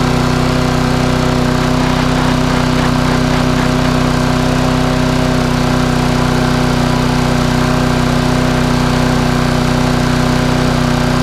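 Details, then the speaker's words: Small Briggs and Stratton lawn mower with a spring problem runs a steady, hard buzzing drone pitched a touch high, governed a bit too fast; owner plans to stretch the spring to ease tension. "it's running a little bit quick no lot I can hear it know about you guys just running a little bit quicker then what I would like"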